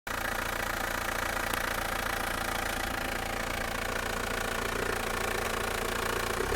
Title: Outlander Turbo 2.0, 148 kW, 2005 - strange engine noise